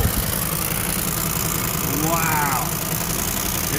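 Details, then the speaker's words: 1973 Ford Mustang 302 V8 first start in 10 years after fuel pump work, fuel now coming up clear: steady low burble with an even beat, no knocks or misses. Healthy, settled idle, though a fuel leak was later found at the front. "first time in 10 years oh that sounded good hey look at that wow hasn't ran in 10 years"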